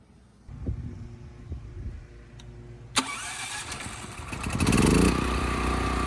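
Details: Westinghouse 7,000-watt electric-start generator, final test after carburetor cleaning and blocking off a fuel line bypassing the air filter: quiet, then starter catches and engine settles into even, steady run. Electric start works well; runs smooth.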